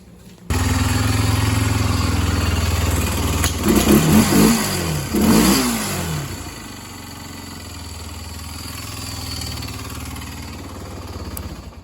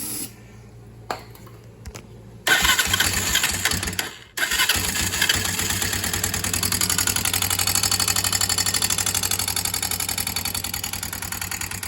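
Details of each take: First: Barn-find Honda ATV after re-adjusting the valves: engine catches and settles into a steady, even single-cylinder idle with a couple of blips; the valve ticking is gone, leaving only normal Honda noise. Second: Barn-find ATV fires after a few tries and idles with fast, light top-end ticking; owner suspected loose cam chain or valves, found valves extremely loose and adjusted them, after which only a slight near-normal noise remained.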